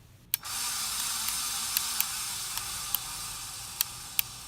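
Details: 53" Casablanca Spirit Of Saturn ceiling fan, recorded November 2018, running with a steady airy hiss and scattered sharp ticks at uneven intervals; bearings had gone bad, sent in for bearing replacement.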